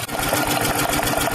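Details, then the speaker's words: 1999 BMW 323i (E46, M52TU) running after a TimeSert repair of cylinder 2's blown-out spark plug threads: fast, sharp ticking in time with firing; owner suspects the cylinder 5 spark plug is loose. "all right here's the deal clearly we fixed the spark plug the noises aren't nearly as bad i'm still hearing something it actually sounds like it's coming from probably cylinder number five but cylinder number five seems to work so maybe that spark plugs loose"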